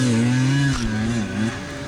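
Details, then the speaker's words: 2021 GasGas EC300 two-stroke on a dusty hard enduro hill climb: it revs hard, then the note sags and dies within a second. The rider suspects the airbox is starved of air; the motor later blew up. Engine dying under load. "hey what's that sound oh here is it oh yeah what is it yeah it's like it just dies"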